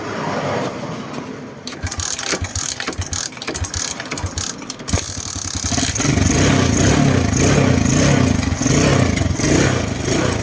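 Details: Suzuki Smash motorcycle parked 2-3 months, which would start but die when the throttle was opened: it cranks for several seconds, catches and settles into a steady, even idle after the carburetor was cleaned without removing it.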